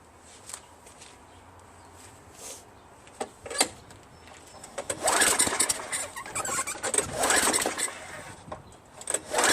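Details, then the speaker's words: Craftsman Eager 1 22" self-propelled mower, Tecumseh 5.5HP engine, rebuilt carburetor fitted, tank dry before gas added: several short recoil pulls spin briefly with a squeal, never catch; cranking no-start, no fuel, spark later confirmed. "Man, it wants to, you know what I'm saying? But it seems like it's not getting enough spark or something or fuel."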